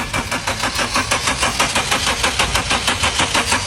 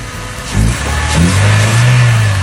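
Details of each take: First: Car that won't start despite throttle valve cleaning and spark plug and ignition coil checks: steady starter cranking at about 1.5 pulses a second that never catches; no-start traced to a clogged intake pressure (MAP) sensor. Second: Car that would not start, now running after the repair: it fires quickly and rises into a strong, even rev with no stumble or misfire over background music, with strong power, problem solved; normal running.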